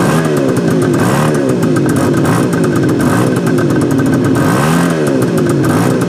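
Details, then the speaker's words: 1973 Suzuki GT550 two-stroke triple, first start after 10 years stored: crisp busy ring-ding with light blips holding steady; heavy exhaust smoke, owner suspects a blown crank seal, unconfirmed. "I'm going to turn the idle down yeah this thing is like a smoke bomb or a smoke machine or something it sounds amazing though got a lot of crap coming out of the exhaust pipe guys I mean a lot"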